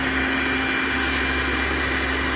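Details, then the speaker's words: Popper coffee roaster after fan motor replacement (old motor's speed fluctuated while roasting), test run on nine-minute setting; steady even whir with constant hum, speed never wavering, normal healthy fan motor. "it's on sounds good so that's it"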